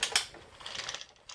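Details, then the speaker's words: Kirby Diamond Edition vacuum, handle in, self-propel in neutral: dry rapid ratchety clacking fading and returning from the transmission; bracket cam assembly ruled out, cause still unknown. "so let me put the handle in and see if this still makes a bunch of noise so got it in neutral oh listen to that"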